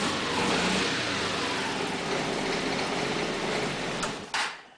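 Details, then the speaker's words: MC54-250B scooter with Yamaha clone engine at about 38 degrees, after its vacuum fuel pump was replaced with an electric pump to cure hard morning starting: it catches and runs with a steady, busy exhaust note; normal cold start, problem fixed. "say that's pretty good confirmation that we fixed the problem you"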